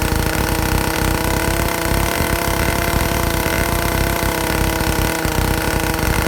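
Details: Vintage Stihl chainsaw (051/075/076, spec 9,000–10,000 RPM) after air-leak and fuel-system repair, high-speed needle tuning aiming for 3/4–1 turn open; peaks about 9,400 RPM. Steady wide-open two-stroke scream, no sag, surging or four-stroking; well tuned.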